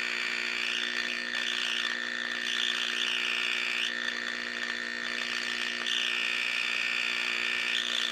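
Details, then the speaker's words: 1934 Grunow 501 five-tube transformerless radio (78, 6F7, 75, 43, 25Z5) on about 100 volts: steady hum with rough buzzing hash and faint garbled stations; receives and processes signal but badly distorted, weak audio. "what that tells me is that it is picking up signal it is processing signal although it's distorting the living daylights out of it"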